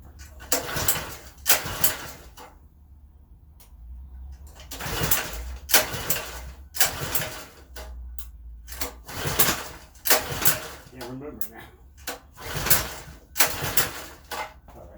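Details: Customer's partially disassembled pressure washer, oil-soaked near the spark plug: repeated pull-start cranking about every three seconds without catching; hard starting.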